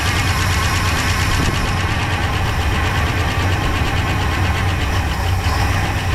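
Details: 1966 Pontiac Grand Prix, 389 CI V8, automatic, barn find unused about 30 years, first start on slight throttle with little fuel: low, slightly lumpy idle, somewhat rough, running with chewed spark plug wires; fuel pump not pulling.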